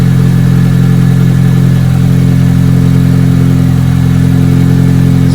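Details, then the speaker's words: 1993 Asuna Sunfire, 1.8 L engine, started after throttle body deep clean and spark plug inspection: deep, steady drone with a smooth, even beat and no misses or stumbles; a settled, healthy idle that sounds much better. "a lot better guys anyways guys we'll check back in a bit"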